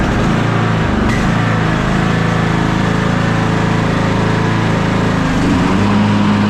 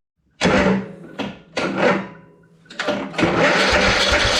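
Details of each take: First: Old Troy-Bilt riding lawn mower, long-stored, after crank-but-no-start fix, started on choke with blade belt engaged: small engine settles into steady, even run, then winds down and stops cleanly; sounds healthy. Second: Troy-Bilt riding lawn mower, long unused: repeated starter cranking with chugging compression beats, choke on then off, spark confirmed, never catches; fuel comes out but may not be getting into the engine.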